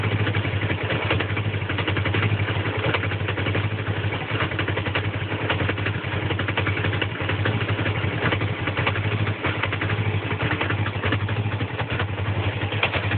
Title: Rough idle